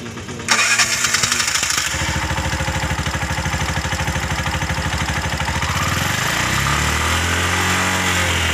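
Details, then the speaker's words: Bajaj BS6 petrol auto rickshaw, single-cylinder, after reconnecting a broken fuel injector nozzle wire that had stopped it starting: cranks, catches at once and settles into a steady, even idle; normal start and idle after repair. "तो उसका बाद हम wire लगाने के बाद आवाज़ सुनिए start किया है, तो आवाज़ सुनिए, पहले स्टार्ट नहीं हो रहा है, अभी तो स्टार्ट हो गया है।"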